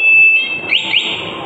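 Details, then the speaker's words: Motorcycle with an ECO 9 anti-theft remote: the engine is cut remotely so it dies suddenly and cannot be restarted. A shrill electronic siren then steps up and warbles, sounding the theft alarm. "Motor akan mati tiba-tiba mati seperti itu ya. Dan bunyi sirna barulah bisa teriak maling gitu ya."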